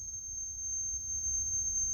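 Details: Sony K611S cassette deck after speed adjustment, reading 6.375. A steady high test tone holds its pitch without wavering or flutter. Tape speed correct and stable.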